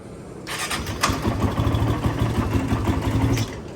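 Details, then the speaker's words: Freshly tuned-up 450 ATV (Yamaha YFZ or Honda TRX) with fuel now flowing, started on choke with the muffler on. A brief crank, then it catches into a slightly uneven, quietly muffled thump. A clean, normal cold start. "choking it for me we'll let it run a minute oh quiet with that muffler on all right bonus"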